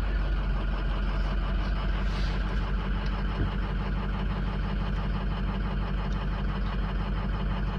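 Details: 2006 diesel, cold start at 71 degrees: heavy, deep idle with slightly uneven clatter; codes show random misfire and cylinder 4 injector circuit low, cylinder four suspected, not confirmed.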